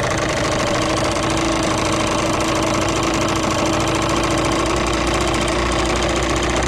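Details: Yamaha TDR/DTR 125 two-stroke (5AE), cold and not yet smoking: a steady, buzzing single-cylinder tick-over, evenly paced and healthy. Owner suspects tired exhaust valve seals, giving barely perceptible power loss versus the original 4FU.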